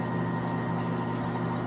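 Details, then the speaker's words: Restored 20" Dayton Tradesman drill press with all new belts, after it used to make horrible noise: a steady, even hum with a faint motor whine and no rattle or knocking. It is now very quiet. Normal running. "The thing's very quiet. You can turn it on. It doesn't rattle."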